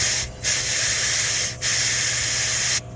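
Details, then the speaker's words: 2010–2012 Ford F250/F350 or Chevy 2500, right front tire, valve core pressed to deflate for TPMS sensor training on a hot day of about 100°F: only a thin, weak hiss in bursts; the valve stem is clogged. "Okay. Sounds like this one's clogged. Yeah."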